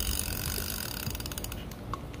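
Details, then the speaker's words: Repaired Penn fishing reel: crisp, evenly spaced ratchet clicks as the spool turns, smooth with no grinding or skipping; ratchet engages and reverse lock works properly. "we want to test number one how the ratchet works you can hear the ratchet how smooth the reel is now"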